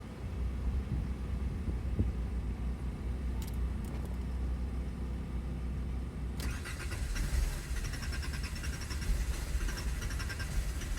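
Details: Skoda Fabia Mk1: starter cranks the engine steadily but it never fires or starts, attributed to a bad fuel pump.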